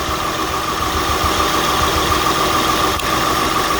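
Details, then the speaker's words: 2003 Acura TL V6 with P0300, P0301, P0303–P0306 and P1399 codes, still misfiring after new OE platinum spark plugs: rough lumpy idle puffing; unplugging coils found one dead ignition coil, replaced, engine then ran smoothly. "Now we still have these remaining old codes, misfires, random misfire, and pendant P1399. Brand new spark plugs, but it's still puffing and misfiring."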